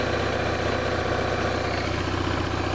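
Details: BMW R1100RS oilhead boxer twin, about 75,700 miles, fully hot, idling at 1250–1300 rpm with 18–19 psi oil pressure on a mechanical gauge: steady, even unbroken beat with no knocks or ticks; hot-idle oil-light flicker complaint, engine sounds healthy.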